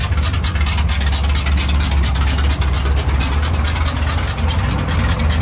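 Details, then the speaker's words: 1978 Dodge Power Wagon V8 with new long tube headers; incredibly loud, deep, even exhaust rumble, healthy with no misses or knocks. "all right mission accomplished the truck looks good it's incredibly loud just the way she wanted it"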